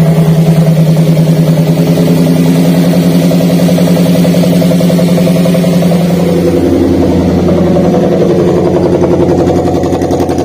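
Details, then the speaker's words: Daihatsu Gran Max idling with a dead ignition coil: an uneven, lumpy misfire with the engine vibrating heavily and a rough exhaust note. "kurang lebih untuk suaranya seperti dia untuk posisi mesinnya itu bergetar hebat Kemudian untuk suara di kenalpotnya itu tidak halus"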